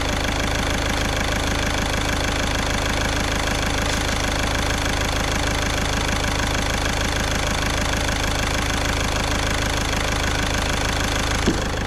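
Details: VW Caddy diesel at idle after injector removal: steady idle with even, light clatter and no misses or heavy knock; running sweetly.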